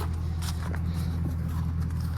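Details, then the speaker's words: 2004 Ram 1500 4.7 L Magnum V8, hood open: deep, even idle with steady low rumble, no misses or knocks, only typical Dodge lifter tick noted; owner reports no problems; normal idle. "Um, but yeah, this thing, it sounds really cool. Really beautiful truck. I don't have any problems with it."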